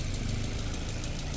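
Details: Maruti Brezza engine during overhaul with connecting-rod wear found, running at idle with slow revving once warm: dense, even low rumble with steady loudness and no standout knock, sounding fine.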